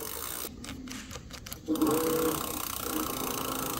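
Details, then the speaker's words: E-bike with cadence-style pedal assist sensor, bike raised and pedalled by hand: clicks with no drive, then a steady motor hum cuts in partway; the sensor has popped out of place, so assist comes and goes. "Nope. Oh, it's picking it up. So this must have popped off somehow."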